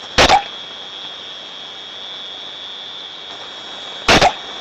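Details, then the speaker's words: Ultrasound recording (Ultraprobe 15000) of a thermodynamic on-off steam trap: two sharp hissing bursts about four seconds apart over a steady high whistle; the trap opens and closes far more often than it should. "so although you think it's an onoff design you see already that this one is doing it way more than it should"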